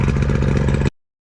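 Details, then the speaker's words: Boat outboard running clean at a busy, even two-stroke idle with steady low pulsing and no misses or knocks, left running after corroded ring terminals were fixed because it had been hard to start; normal running. "I'm gonna let it go for a little bit just to run, because y'all saw how hard it was to start"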